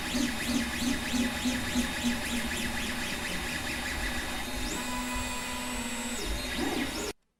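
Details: 3D printer noise test in an office: stepper motors sweeping in pitch as the head zigzags with steady fan hum; normal motion noise, Y-axis movement notably loud.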